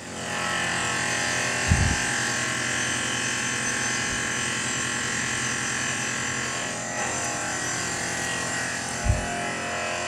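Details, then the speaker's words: Tormach PCNC with Superfly fly cutter at 2500 rpm, coolant on, jogging at 20%, about 100 thou cuts in aluminum; steady high spindle whir with fine even cutting buzz and coolant hiss, no chatter or squeal, cutting cleanly. "let's see how she does yeah eats it right up man this Super Fly is incredible just incredible"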